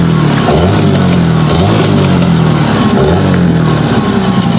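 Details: Hangkai 9.9 outboard, plug gap reset from 0.6 to 0.9, thermostat fitted: revs up and falls back cleanly, no sneezing or stumble on sudden throttle close, which it earlier did when new.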